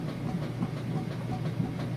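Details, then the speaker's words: Whirlpool Super Capacity top-load washer agitating a heavy jeans load: rhythmic low sloshing thumps a few times a second, strong, smooth and steady through the stroke; normal agitation. "on portion right now it's got a good strong agitation sounds great things you want to look for is just make sure that it sounds good runs smooth and steady"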